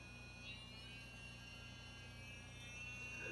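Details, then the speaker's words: N20 small gear motor with 3D-printed test wheel, freewheeling at almost 5 volts drawing 0.02 amps, motor cool: faint steady high whir with soft gear buzz, no rattles. Normal motor running. "We're at 0.02 amps at almost 5 volts. There's 5 volts. Very quiet. Nothing objectionable there."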